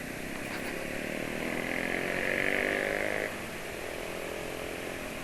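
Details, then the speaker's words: Motorcycle idling after second Xado oil additive use: busy, loose clatter over the engine note, a 'kleduk' knock typical of an engine often ridden hard, from play in parts; mild, not severe, cause not confirmed. "Itu suaranya itu mesin ada kleduk gitu lah. Cirinya suara mesin yang sering dipakai kencang."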